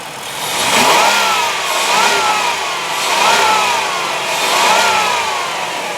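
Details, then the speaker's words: 2005 Chrysler Town & Country 3.3 L V6 revved three times: revs rise and fall smoothly with no high-rev knock, valve train noise or valve taps; a healthy engine. "Now, you don't need to be a mechanic to know that that sounds great. There's no high rev knock, no valve train noise, no valve taps, nothing out of the ordinary at all on the vehicle."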